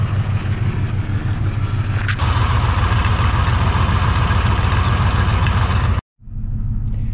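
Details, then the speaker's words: Ford F150 5.4 3-valve V8, right-hand drive, in fail-safe mode: rough, uneven, loping idle with possible knocking heard over the rough exhaust; failed cam phasers and timing chains suspected. "that sounds to me like a failed cam phaser and I I can't really hear over the rough exhaust now but I wonder if I can hear knocking as"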